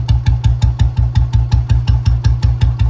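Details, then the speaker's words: 2009 old model Bullet 350 after restoration, idle rpm lowered slightly: slow, even, unhurried thump with no knocks, called the real standard sound. Normal idle. "Standard की आवाज है है ना बढ़िया"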